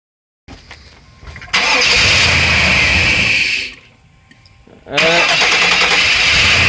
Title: Tahoe trouble again. Won't start.